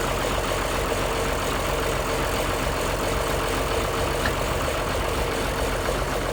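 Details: 1955 White (rebadged Oliver 1955) diesel tractor idling after jump-start from a Land Cruiser ute: even, steady diesel clatter with constant beat, no misses or surging; old engine running healthy.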